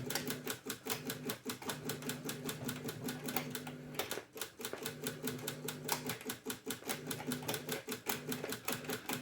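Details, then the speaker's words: Cassette deck imported from Japan, after light cleaning, with a test tape inserted: rapid dry clicks repeat with a short pause near four seconds. The mechanism clicks without engaging, and even stop doesn't work. "Ні, не працює. Воно, чуєте, клацає і навіть стоп не працює."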